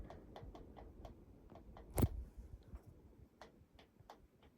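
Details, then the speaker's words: Clipsal 1200mm industrial ceiling fan with oyster light: light uneven ticks a few per second as it shakes during spin-down in a quiet room; canopy gapped on one side taps the ceiling. Canopy ticking against ceiling. "See, when it shakes it, the canopy ticks on the ceiling from the other side. I think because it's got a gap this side and not the other side, it'll do that."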